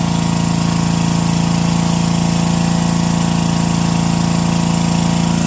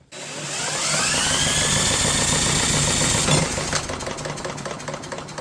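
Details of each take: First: Brushless 10 hp junkyard generator (about 5,500 W), fed by an electric fuel pump and running without its air filter, powering a light and an angle grinder: a steady, even drone at constant speed with one brief dropout midway, otherwise smooth. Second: Brushless 10 hp junkyard generator with an overhead-cam engine, on a compression test: quick, even cranking, about 220 beats a minute, with no compression pulses and nothing from the exhaust, likely because the exhaust valve is stuck open.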